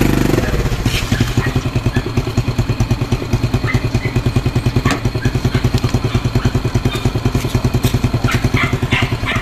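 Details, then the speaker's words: Honda Wave XRM 110 single after a full engine overhaul: even, steady, low putter at roughly three beats a second with no knocks or rattles on top. Idles very quietly; the overhaul was a success. "tahimik na tahimik, no? Okay. Overall, ayos guys, success yung pag-overall natin, no?"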